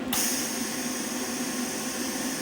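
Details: New Vulcan MigMax 215 240 V MIG welder, first power-up with factory wire tension: steady, even wire feed motor whir with a light hiss, starting cleanly without stalls or chatter; feeds normally, louder than the old Lincoln Weldpak 100.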